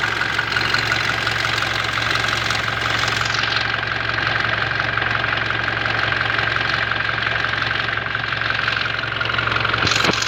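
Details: Toyota Hilux 2GD diesel at cold first-start idle: sharp, fairly regular knock about three per second over the clatter; noise only on first start, cause still to be found.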